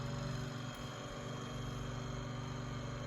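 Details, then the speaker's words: Room Essentials Velocity F-0411 one-speed desk fan (March 2011), after running a while: steady hum with a faint pulsing rub about four times a second; owner says not a dry bearing, maybe rotor rubbing stator or a loose blade. "it doesn't really sound like a bearing noise it doesn't sound like a dry bearing noise it sounds like i don't know if that's the rotor rubbing on the stator or it could be a blade loose something's loose in there"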